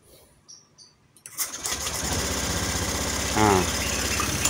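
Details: Honda Scoopy FI scooter (cutting out while riding) after battery swap; earlier only blinked on start, charging 14–14.5 V at idle: short starter whir, engine catches within a second and holds steady idle. Fault traced to the CKP.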